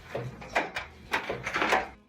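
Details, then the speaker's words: LG DLGX3901W gas dryer, top removed, drum turned by hand after a noise complaint: irregular clunks and light tinny rattles, something like coins bouncing around inside a drum baffle. "Yeah, I could definitely hear something bouncing around. Almost sounds like coins."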